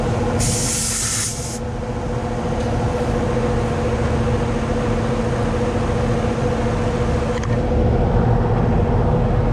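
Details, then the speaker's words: Carrier AC condenser after run capacitor replacement and contactor rewiring: steady compressor hum with a constant low tone and fan rush, no knocks or rattles. The compressor is running normally after the repair. "All right, should get us going. Let's test it out. I do hear the compressor."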